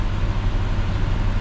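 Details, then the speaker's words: 1966 Ford Galaxie 500 352 4V V8, true cold start at 47°F after sitting over three months, idling in garage on choke with parking brake set; cold light just went out, choke not yet off; deep steady rumble at slightly raised speed, no misses: normal cold fast idle. "Oh, the cold light just blinked. There it goes, out now. And I doubt the choke will come off yet. No."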